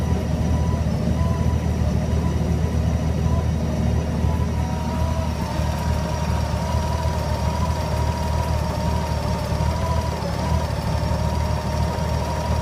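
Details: GL1800 idling with a low, uneven, lumpy and unsteady beat and a faint whine on top. The engine isn't settling: rough idle.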